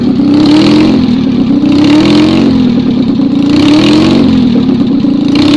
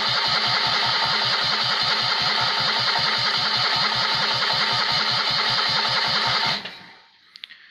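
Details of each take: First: Rebuilt Citroën 2CV twin, 652cc conversion with a 123 ignition fitted, running with no exhaust on a not-cold day. It gives a crisp, even bark rising and falling with each throttle blip: it runs and revs cleanly, deemed a success. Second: Rebuilt Citroën 2CV engine converted to 652cc, Solex twin-choke carb rejetted, no exhaust, first start attempt: even starter cranking with no firing; ignition points wet from washing the engine bay, no spark; timing possibly off, float bowl empty.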